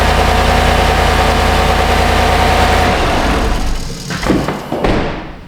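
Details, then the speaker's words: GMC 1500 5.3L V8 after the repair: steady even idle with a smooth low rumble and no knock or tick, then shut off. Normal idle, fixed. "Oh, let's see if we fix the old knock and shivvy. Contact. That sounds a lot better."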